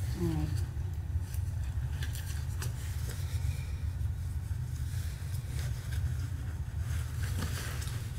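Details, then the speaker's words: Propane gas water heater that wouldn't heat, status light dark, after cleaning the pilot-heated generator: steady low burner roar with a few soft clicks, no popping or sputter; burner lit and running normally. "No, it's running. It's running."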